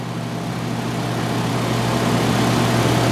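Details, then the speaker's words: 2005 Toyota Camry, 2.4 L California-emissions engine, front-wheel drive, collision-damaged parts car: steady even low idle with a smooth regular pulse, nothing rattling or ticking; excellent-running engine, normal idle. "as you can hear this vehicle has an excellent running 2.4 L California emissions engine as well as antilock brakes cruise control and is also front-wheel drive"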